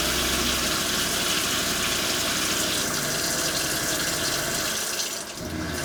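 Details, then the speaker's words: Everflo EF5500 water pump in 2002 Cougar fifth wheel RV after replacing erratic, failed pressure switch: continuous pump hum under rushing water at full flow, no on-off cycling or stutter; problem solved, pump runs steadily. "works perfectly problem solved for uh $10"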